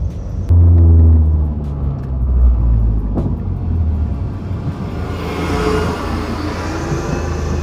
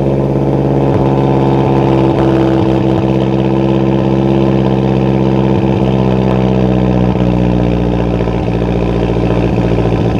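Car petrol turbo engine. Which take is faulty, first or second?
second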